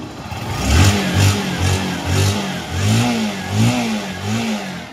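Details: Kawasaki NS160 FI after its noisy cylinder head was machine-shop repaired: the small single revs in short clean blips with pitch following the throttle, no top-end ticking or rattle; quiet and healthy again.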